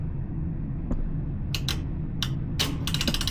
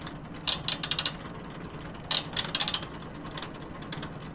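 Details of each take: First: Laundromat washing machine after its broken timer switch was replaced with one from a donor machine. Low hum, ratchety clicks as the knob turns, then steady ticking as the timer advances normally and water starts filling. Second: Laundromat washing machine with the door latched: bursts of rapid metallic ratcheting clicks as the timer knob turns; the timer mechanism is slipping internally, fixed by swapping in a timer from a donor machine.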